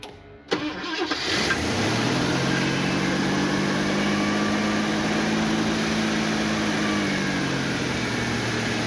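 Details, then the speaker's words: 1977 Ford Fairmont XC GXL, 302 V8, stored 12 years in a shipping container, started on starting fluid and carburetor fuel: cranks, catches and races to high steady revs, never dropping back; throttle linkage stuck open. "so obviously the accelerator was on a little bit and it took off so that runs which is great um I didn't want it to go that hard but here we are so this throttle linkage is definitely stuck"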